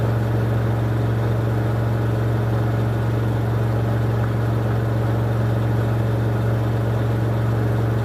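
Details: 2006 LG WM14225FD front-loader on the final 1400 rpm spin of a 60°C cotton cycle, with a quite off-balance load. Deep hum and low rumble, little knocking; owner hears the drum bearings going at 1400 rpm, though this is unconfirmed.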